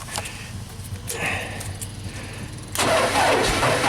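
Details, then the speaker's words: JLG 260MRT scissor lift engine cranks sluggishly and never catches, tank has gas; still cranks slowly even on jumper cables, and has a history of hard starting and stalling; slow cranking, no start. "I almost heard it. It cranks kind of slow. I don't like that."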